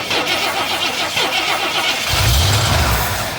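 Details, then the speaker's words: 1973 Ford F-250 not run in 18 years, plugs reinstalled and fuel poured into the carburetor: cranking chatter, then it catches with a deep rumble for about a second and dies; spark is good, it just needs fuel. "oh that is what i'm talking about i got a mouth of my fuller spider webs and cobwebs"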